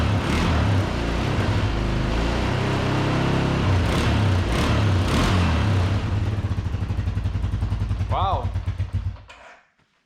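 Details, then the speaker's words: Arctic Cat 300 ATV sitting 15 years, after carburetor rebuild, fuel tank cleaning, new battery, voltage regulator, oil change and tune-up; flooded and on choke after reconnecting the ignition coil, it catches, idles roughly for seconds and dies, but runs. "almost idled too so i mean wow guys it runs"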